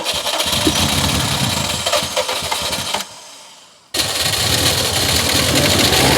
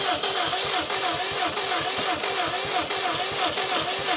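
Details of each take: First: Drag Subaru STI build, first start after sitting, probably flooded and on old fuel: engine catches and revs unevenly, cuts out, restarts and holds a steady, slightly missy idle; sounds healthy overall. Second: Subaru STI that has sat a couple of years, cranking on a jump pack: steady fast starter churn with even pulses, going on and on without the engine catching; owner wants starting fluid. Cause not confirmed.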